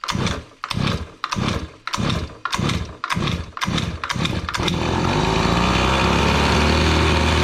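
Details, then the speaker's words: Gas-powered Razor dune buggy with small two-stroke engine (LH cylinder, RC pull start): about eight rasping pull-start strokes, then it catches into a steady, even high buzz, usually around 3,900; still sounds good and healthy. "Still sounds good and healthy."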